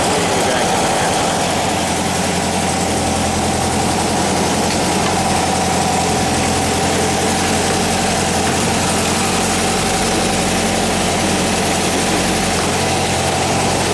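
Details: 1959 VW single cab pickup, newly installed air-cooled engine warming up just after start: steady, even idle with a smooth low thrum, no knocks or misses; normal healthy idle.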